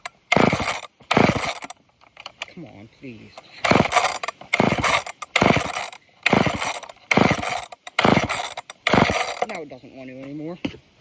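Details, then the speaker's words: Old off-brand Canadian junkyard chainsaw: repeated pull-cord bursts about once a second, each a short rasping whirr, never catching; cranking no start, owner suspects it can't pull fuel through a dirty filter, unconfirmed. "if it's having a hard time pulling fuel. Maybe because of that filter being so dirty. I don't know."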